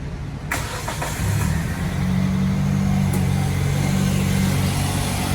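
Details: 2008 Hyundai Elantra, 2.0 Beta II engine, first start after timing belt and AC belt replacement: brief crank, catches quickly and settles into a smooth, even idle with no ticking or belt squeal; engine sounds healthy.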